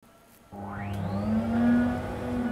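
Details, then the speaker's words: Ported Ford Capri cylinder head on a flow bench: rushing whoosh climbs in pitch as the valve opens wider, then strong steady suck; head flows enough for 278 hp versus 140 stock; normal airflow. "so we'll move this open you hear it's starting to hit yep you can hear the airflows the valves opening wider really starts started sucking"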